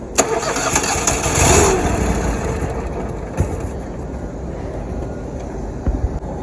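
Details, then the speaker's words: Twin-cylinder riding mower engine that dies when blades engage, running rough and lumpy with no steady beat, no mid-range and zero idle: firing on only one cylinder. "The main issue that it's in here for is for, you know, a bad running engine. Listen to this. It's only running on one cylinder."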